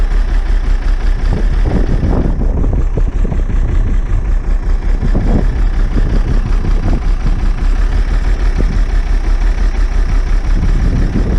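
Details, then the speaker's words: Old bus diesel, cold start after last week's fuel pipe move, started without easy start: lumpy, stumbling idle with irregular heavy pulses, smoking cold; air drawn in at a wet, leaking fuel return. "Hey, it's better than it has been. Definitely. It's still smoking cold, but"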